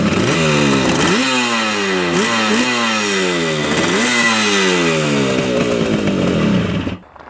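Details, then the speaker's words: 1975 Yamaha RD200 two-stroke twin, first start after 20+ years in a barn: crisp ring, revs blipped several times falling back cleanly before shutdown; both cylinders running, no air leaks heard, only a leaking petcock; normal running. "first start idles perfectly a single issue with it except the leaking petcock which hopefully goes away"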